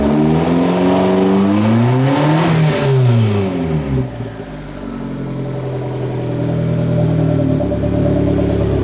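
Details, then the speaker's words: Turbo-build car after downpipe fitted: two quick revs climb and fall cleanly without bogging, then a steady, even idle, lower than its usual; runs properly. "For right now, it's idling. It might be idling a little high. No, actually, that's lower than where it normally idles."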